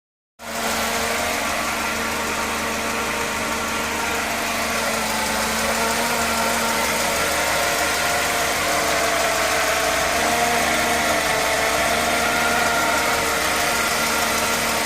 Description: Mercedes benz e220 w124 engine noise without fan belt. is timing chain noise? is anyone can help me?